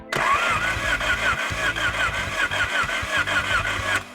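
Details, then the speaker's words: 1987 Acura Integra crank no start after rebuild: steady starter cranking with even compression beats and no firing; spark present but no fuel, injectors not spraying, later replaced with remanufactured injectors. "Alright, we got spark, but we don't have fuel."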